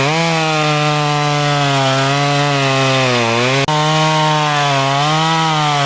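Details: Stihl MS194T chainsaw after servicing for a bogging complaint (fuel checked good), new chain fitted: strong, clean high-revving buzz that sags slightly as the chain bites wood and recovers smoothly, no misfire or stumble; running properly.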